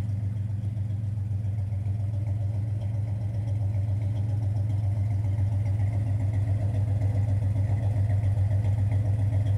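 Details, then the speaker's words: 1971 Chevelle V8 just out of hibernation, idling with oil pressure almost 40: steady, even low rumble with a smooth regular beat around 220 pulses a minute; a clean, healthy idle. "yep it sounds good this little girl's always sounding good"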